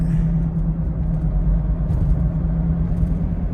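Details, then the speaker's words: 2006/07 Honda Civic Hybrid, 183,000 miles, driven for first time in a long while: low steady hum under road rumble while cruising; owner suspects a wheel bearing but says it might be the tire. "So it's making a humming sound."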